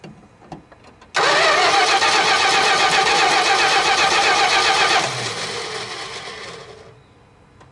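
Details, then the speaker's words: Dodge D100 stepside at its first start after a decade of sitting, with Marvel Mystery Oil in the cylinders, the tank emptied and a dirty carburetor. Catches and runs loud, ragged and lumpy, maybe on about three cylinders. Suspected massive vacuum leak. "all right looks like we're running at least on three cylinders or so that's good [Music] sounds like we have a massive vacuum leak somewhere"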